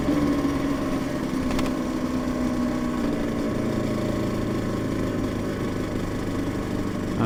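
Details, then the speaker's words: Yamaha TZR 250 3XV two-stroke twin after a full engine rebuild, out of winter layup and not yet properly warmed up: idle burble with a light, irregular tap over it. Source unclear. Tapping noise at idle. "it might just be a little bit Rusty from winter so bear that in mind screwed in the oil way too much now"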